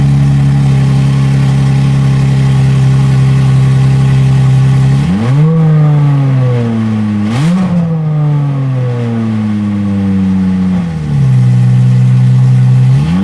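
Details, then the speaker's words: Aston Martin DB7 V12, freshly refitted engine with new injector O-rings, first start: smooth idle then three quick, clean throttle blips with no stumble; revs freely, oil pressure fluctuates normally with rpm, no leaks so far. "La pression d'huile affichée au manomètre fluctue normalement selon le régime et aucune fuite n'est à déplorer pour le moment..."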